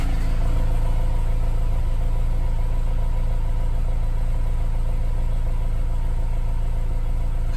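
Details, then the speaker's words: Honda S2000 DOHC VTEC warmed up after valve adjustment: idle holds steady at one speed with no sputter, hunting or misfire, whereas before rpm fluctuated and exhaust sputtered; misfire fixed. "I mean it's idling perfectly the before the RPM was going up and down a little bit and even though the exhaust even though it's thought you could hear it sputtering which you don't hear whatsoever anymore"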